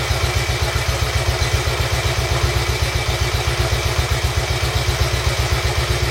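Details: Royal Enfield Bullet 350 Classic first start after partial seizure repair, cylinder hone, new rings, decoke, valve clearances set and carb cleaned; steady even thump about four beats a second, no tapping or rattle, healthy low idle, carb needs fine tuning.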